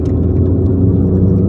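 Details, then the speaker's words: 22-year-old, 300,000 km common-rail JTD-family diesel after high-pressure pump rebuild for P0090/P0091; third gear full throttle uphill, real rail pressure just under target; deep steady drone pulling evenly, no knocks, misses or hesitation, normal under load. "Let me just do an uphill over here. The car pulls very, very well."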